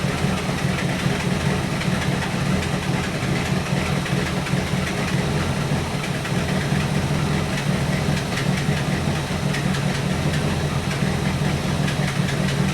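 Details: 1964 Buick Electra 225, 401 Nailhead V8 idling about 500 rpm with freshly rebuilt Carter AFB four-barrel; slow, lumpy beat that stumbles now and then like a cylinder dropping out, dwell about 30 when smooth. Ignition problem suspected, not confirmed.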